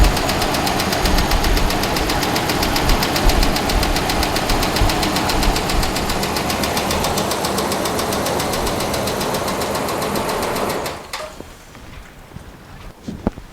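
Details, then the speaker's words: Dodge Ram 5.7 Hemi at idle, recorded with the mic close: sharp, steady ticking about four per second, far louder than a normal Hemi tick; cause not yet diagnosed. "that's all I'm willing to show because the motors not dead yet as you can see but it's more than ticket baby way more"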